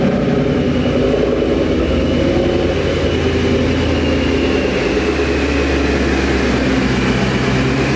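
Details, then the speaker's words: 2011 Mustang GT V8 with newly installed Paxton Novi 2200 SL supercharger, first startup before warm-up: deep even burble at steady fast idle, then slightly smoother, no ticks, knocks or misses; sounds good. "oh she sounds good and i'm jealous of those noises i'll tell you what but we're gonna let it warm up"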